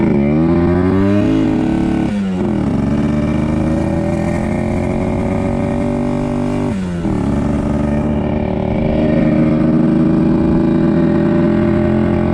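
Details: 1974 Yamaha RD60 two-stroke, first ride after sitting over 8 years; revs climb through gears then flatten around 5000 rpm instead of 10–11,000; slow, lacks power at high revs; owner suspects carburetor issue.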